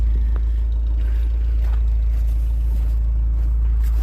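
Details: 1982 Ford Transit Mk2, 2.0-litre Pinto four-cylinder petrol, warm after running a while: a steady, deep, even idle rumble with no knocks or ticks; normal, healthy idle.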